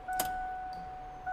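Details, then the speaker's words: 1988 Foxbody drift car, key on after the fuel pump was wired and a chassis wire repaired: a steady high electric hum runs about a second, stops, then restarts. This is a normal fuel pump prime. ">> There's a prime. >> I can hear it."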